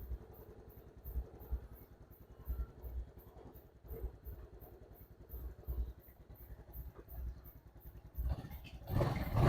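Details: Honda Wave 110i idling evenly with a soft low putter and no top-end tapping, after replacing the broken 6904 camshaft bearing and the 90-link timing chain to cure a loud noise.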